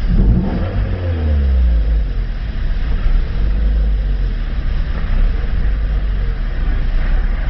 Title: bad idle3